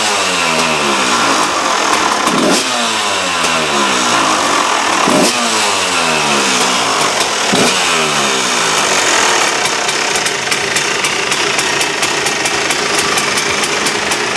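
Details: KTM two-stroke after replacing reed valve: crisp revving in clean repeated blips, then steady buzzing idle, no misses or rattles; sounds much better than before; normal running.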